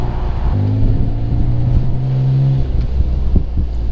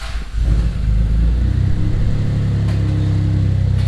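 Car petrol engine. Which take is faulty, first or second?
first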